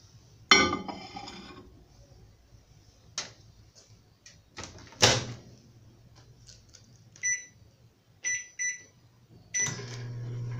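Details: Microwave that previously sparked and sounded shorted, after replacing a board: door clunks and keypad beeps, then a steady low hum with no crackle or snapping; normal operation after repair.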